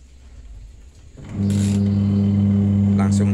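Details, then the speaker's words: Modified automatic washing machine converted to manual, first test after rewiring: quiet, then the motor starts with a steady, smooth low hum, no grinding or rattle, turning both directions on wash; motor running normally. "nyala hidup. Ini sudah berputar teman-teman, dan bisa berputar bolak-balik."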